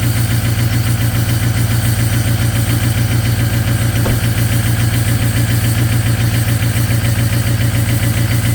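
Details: Ford 6.0 Powerstroke diesel after a -2°F cold start (glow plugs cycled), fast cold high idle: loud heavy clatter pulsing about 214 a minute; partially gelled fuel, cleared with anti-gel additive.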